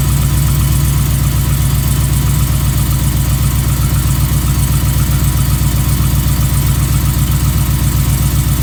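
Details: 2015 Ram 5.7L Hemi with long-tube headers, almost 18k miles, at steady idle: a fast, fairly even ticking knock about four a second. Started recently, less noticeable once warm; owner suspects piston slap, cause unknown.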